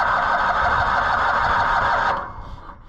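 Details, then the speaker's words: Old Cushman Truckster auction find, cranking: steady hissing, sucking whoosh over choppy cranking beat, sounding like a blown head gasket; owner suspects the old fuel pump left open is drawing compression, noise stops when held down, plans a block-off plate. "I think it's all in that little fuel pump making that sound."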